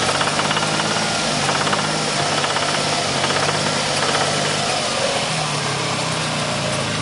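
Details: 1994 Ford Taurus SHO at idle: loose uneven knocking a few times a second, developed about 500 miles after a timing belt change; source unknown.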